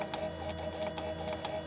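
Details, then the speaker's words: 2004-2009 second-generation Toyota Prius, under the hood: light chirping ticks about three a second over a faint whine, like a fish tank filter; inverter coolant pump cavitating and failing. "it's starting to cavitate and the pump is just not able to do its thing maybe not cavitates the word but it's um kind of like a very similar to like a fish tank filter that very specific sound that it is making"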